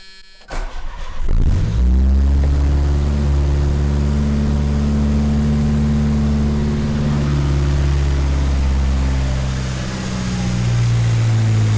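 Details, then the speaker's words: 1985 Dodge Omni GLH Turbo, Chrysler turbo four-cylinder with aftermarket PCM boost tune, started in neutral inside the shop: cranks and catches quickly, settles to a steady, even low rumble with no knocks or misses; healthy idle. "I'll start it up just for a few seconds here for you just so you can hear it"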